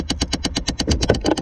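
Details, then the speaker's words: 2008 Chevrolet Impala HVAC blend door actuators clicking behind the dash near the glove box: sharp, even clicks about nine per second over low engine idle; a second failing actuator found after replacing the first. "oh here's another one over here that's what i was concerned about oh got a second one over here clicking we got two so far guys"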